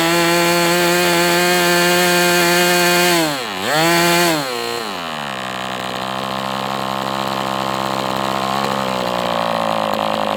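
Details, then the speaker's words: MDS 68 FS Pro four-stroke glow engine on break-in stand, after carb retuning (idle screw had been tampered with), idle bar plug removed; steady high buzz, one brief dip and quick recovery, then clean even running; normal running. "This one was, I was thinking was questionable, but hey, it was just a matter of getting it tuned. And that's all there is to it. This is a nice running engine."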